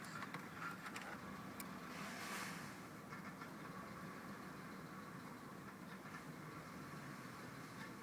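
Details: 2000 Honda Accord petrol engine idling with a rough, uneven beat, misfire on all cylinders code; coil packs checked and found fine, cause unknown.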